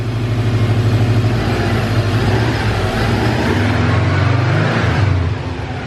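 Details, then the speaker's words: Subaru (owner's 2008 Legacy GT) after an eBay turbo install, on its second startup left to idle: steady, even low idle with a smooth pulse and no misses or knocks, and no white smoke. Normal idle. "dude it sounds great there's no white smoke bro she runs let's go dude"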